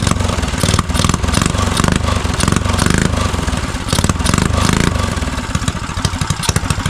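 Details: Neglected custom Motovox mini bike with electric start, carburetor cleared of old gas: small single fires and runs on its own with a quick, choppy exhaust beat. Fresh start after fuel cleanup.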